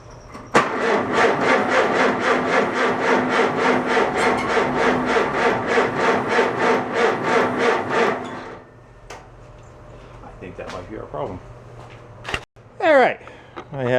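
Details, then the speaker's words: Farmall A tractor, newly installed engine, fuel dripped down the plugs: uneven chuffing about three beats a second for seven seconds, then dies. Rough running from a slight intake leak. "slight intake leak whoops yeah that caused a slight intake leak for sure"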